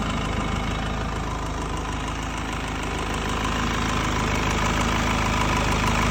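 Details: Mercedes C220 W204 OM646 diesel warm idle: light irregular tick about three a second over clatter; vacuum pump, fuel pressure regulators, filters, pulleys and belt already replaced, DPF removed, EGR disabled; source unidentified.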